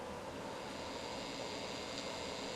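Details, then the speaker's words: Vintage Orion cassette recorder: even steady whir with no catching or speed wobble during fast forward; normal fast forward winding, though play and record do not drive the tape. "okay so it does seem like the fast forward and the rewind are working fairly well"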